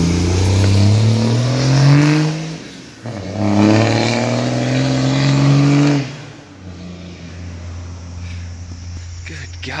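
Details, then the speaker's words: 12-valve Cummins dually after OEM mechanical fuel pump replacement: loud diesel climbs in pitch through two strong pulls then settles; clean, even revving with no knock or miss, running healthy. "God I wish I wish my 12 out was that loud"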